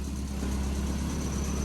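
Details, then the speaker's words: 1999 Honda Civic EK coupe with B20 VTEC swap at idle: steady rumble with a thin high squeak that disappears with the clutch pushed in, identifying a worn throwout bearing; rumbling returns when clutch released. "push the push the clutch in as you can see the squeak went away so we now know that that's the throw bearing and what let it out"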